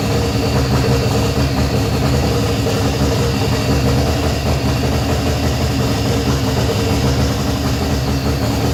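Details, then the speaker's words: Freshly rebuilt 180 engine's first start after 10 months sitting, run about a minute, not fully hooked up: smooth, even idle with steady low rumble, no knocks, ticks or misses; sounds healthy. "oh it sounds good"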